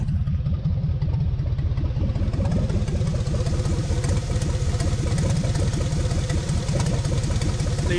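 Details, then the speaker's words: Chevrolet Silverado 6.0 LS V8 with NV4500 manual, sat 12 years, clutch destroyed: loud, raw, uneven low puffing at idle because the exhaust is ripped off at the manifold, an exhaust manifold leak. "exhaust is ripped right off at the manifold there so it sounds pretty rough but uh it's taking over"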